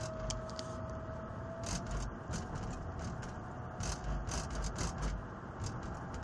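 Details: Mercedes 320 CDI diesel turbo while driving: thin steady whistle over engine and road rattle, appearing about 5 minutes into driving, vanishing, returning after 40 minutes; oil change didn't help; both wheels, shaft and bearings worn, all replaced.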